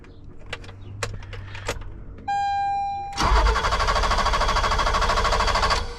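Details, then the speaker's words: 1986 BMW 325e E30 sedan: fuel pump hums briefly at key-on, then starter cranks evenly about three seconds without firing; cranks, no start, caused by one clogged injector and five low-flow injectors; runs with spray-bottle fuel. "So, cranks, no start."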